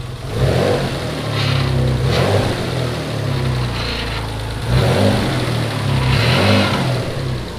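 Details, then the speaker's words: Mitsubishi 3000GT VR4 twin-turbo 6G72, new engine first running, all stock: thin steady whine rising with revs from a cheap power steering pump, possibly damaged by running low on fluid; leaking fluid, too much fuel pressure noted. "So it looks like that cheap power steering pump I got is junk. It's just whining, or I ran it too much out of fluid when I was trying to run it before."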